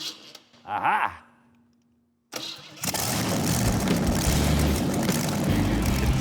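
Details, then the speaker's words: Custom hot rod engine, fitted with a different ignition coil, fuel pump also mentioned: after a brief quiet spell it cranks, catches within about half a second and settles into a strong steady run; healthy start and run. "I'm very happy with that. That sounds like a good engine."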